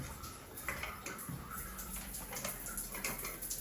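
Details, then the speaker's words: Shower head in the primary bathroom with its valve off while the hot water runs in the guest bathroom: a steady hissing splash of water flowing. Water is crossing over from elsewhere; the cause is unknown. "You see the valve still off. And we have water flow."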